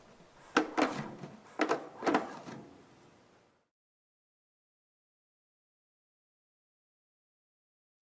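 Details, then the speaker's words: Drum head pushed by hand while tightened on a dry bearing edge: a few dry pops and creaks in clusters, then quiet; the head catches and skips on the edge, before applying bearing edge conditioner. "now if we tighten the drum head it's just like sliding this paper over the pencil while applying a hard downward pressure it skips and Pops just like the pencil and paper the drum head catches and pops when I apply hand"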